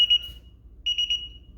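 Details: DSC alarm panel arming: a clear high-pitched chirp, a short pause, then three quick beeps, likely the exit delay tones.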